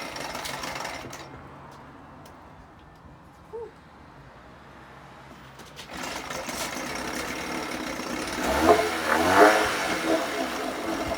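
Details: 1980 Chrysler Sea King 15 hp two-stroke outboard, cold, on engine stand after replacing ignition coil to fix part-throttle misfire: quiet, then fires, blips up and settles into even steady run, responsive with no hesitation; normal idle.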